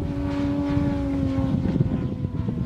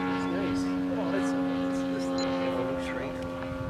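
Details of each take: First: Yamaha TW200 carb test under load: steady mid-throttle drone, then ragged and uneven as it climbs, power dropping out in bursts. Engine stumbling under load. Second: Yamaha TW200 carburetor test, engine held at half throttle: steady, unwavering buzz with no misses or surging; running clean and healthy at half throttle.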